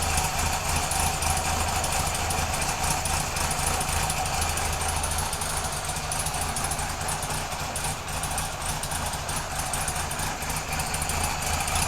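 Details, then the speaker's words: Kawasaki KZ police motorcycle on its stand, started with no choke, fuel delivery redone, charging not yet confirmed: light, quick, even ticking at a steady idle, about three beats a second, a sewing-machine sound. Runs well. "all right yeah so she runs pretty good I'm kind of happy with that you know it's got a nice um sewing machine sound when she idles"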